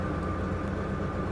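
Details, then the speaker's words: V8 BMW X5 salvage-auction car with a past misfire, now running smoothly: once the AC engages, a harsh steady drone with a fixed mid-pitch whine appears; AC blows but sounds very bad, apparent prior unsuccessful repair attempts. "whoa okay that was scary the ac works but i'm gonna turn that off that that that that sounded really really bad"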